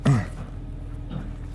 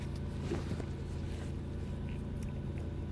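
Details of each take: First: 2006 Nissan Murano, warm, after an idle relearn for P0507: low, steady idle at about 800 rpm (normal 700–800) with an even rumble, down from a high idle of about 1088. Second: 2006 Nissan Murano, warm engine, codes P0507, P1800, P0420: steady but high idle at 1088 rpm before the idle air volume relearn via scan tool, after which the idle dropped.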